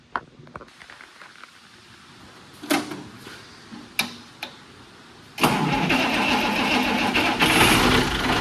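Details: Allis Chalmers D17 Series 4 tractor after torquing head bolts and adjusting valves, loose tappet adjuster fixed with lock nut: quiet clicks, then engine catches at once and runs steady and even with no valve train tapping.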